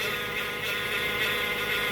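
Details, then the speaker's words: Car towed in with a transmission complaint, won't move when in gear under throttle, A/C switched off; steady high-pitched hummingbird-like whine over the engine, fading slightly; automatic transmission whine. "Ladies and gentlemen, that is a transmission whine. Okay? Look, it's trying to go away."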